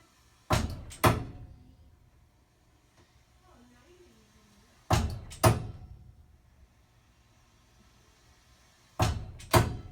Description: Whenever the hot water starts to run--for the dishwasher, shower, sink, etc-- we hear a pipes banging sound like the one in this video.